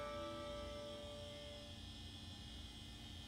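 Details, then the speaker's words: Power Macintosh 7200 hard drive transplanted into a 6100: steady whine with low hum fades out in under two seconds; drive spins up then spins down and is not recognized, possibly already broken. "so the hard drive seems to be oh no see did you hear that it's spun down yep I'm afraid it spins up but then it just spins down it's not able to be recognized"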